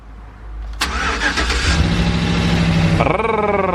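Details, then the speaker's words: 2011 Chevy Silverado 2WD with a 4.8L LS, stripped for a body swap, heard from inside the doorless cab: a short crank, then it fires within a second and rises to a smooth, steady idle; a normal start despite an airbag warning and a recent limp mode. "there she is roll to life"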